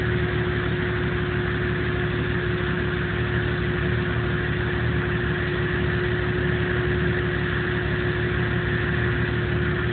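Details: 1997 Jeep Cherokee idling with no codes or engine light: faint whine over an irregular, shaky low beat; rough idle, cause not pinned down.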